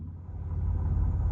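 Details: Mitsubishi V6 with MIVEC and a distributor, six-speed manual, recorded at the rear tailpipe: a deep, loud, unmuffled low burble at idle with no hiss. Sounds like a straight-pipe exhaust note.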